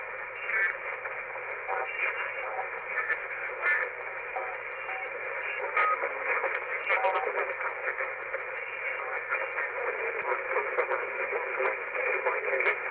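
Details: uBitx transceiver with Nextion screen and CEC firmware, tuning below the band in 100 kHz then 1,000 steps: thin band-limited hiss with garbled broadcast voices bleeding through; AM broadcast interference.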